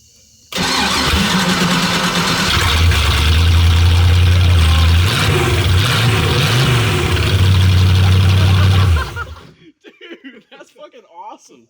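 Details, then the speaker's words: MasterCraft boat V8 after years of sitting, exhaust pipes off at the manifold tubes, run dry with no water (plastic impeller): fires up loud and raw, revs blipped then cut; straight pipe, not that bad. "It's honestly not that bad. No, that's not bad at all. Straight pipe."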